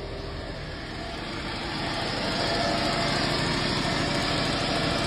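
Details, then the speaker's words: Car with a long-dead flat battery just started using only a powerbank jump starter: smooth, even idle that firms up slightly after a couple of seconds, no knocks or misses; normal healthy idle. "Alright kereta pun dah berjaya dihidupkan. Hanya menggunakan powerbank jumper ni sahaja guys."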